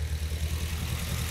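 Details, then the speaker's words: Nissan Silvia S14 SR20DET with rebuilt Garrett T28 turbo at idle break-in: low, uneven idle with a recurring stumble, worse when revved; new spark plugs keep fouling with oil, heavy oil deposits on pistons 2 and 3. "Nah, ini mulai nggak smooth lagi nih. Oh, kalau digas kayak gini, si businya mati sama oli, pincangnya makin parah."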